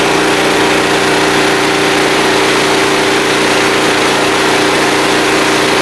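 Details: Small blue Walmart generator, about 15 years old, 110-120 V, started on choke after fuel system work and now lighting a lamp; steady, even drone with a constant mid-pitched hum and no surging or misfires, running smoothly.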